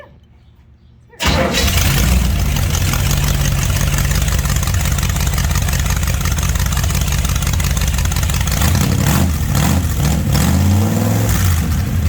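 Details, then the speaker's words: Rat rod engine running on a carburetor borrowed from the wife's rat rod: catches after a second and settles into a deep, loping, slightly uneven idle. The carburetor isn't adjusted because it is set up for her car. "Then it's not adjusted out because it's set up for your car."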